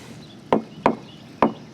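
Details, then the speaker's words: Tool tap test on a sailboat deck at the baby stay fitting, where water leaked in for years: four dull thuds with no hollow ring, described as the expected sound; dull thud on tap test. "Oh, it's like a dull thud. Right. Okay. That's what it's supposed to sound like."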